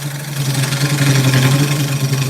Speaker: That's good to see. Okay. You hear the chatter of it.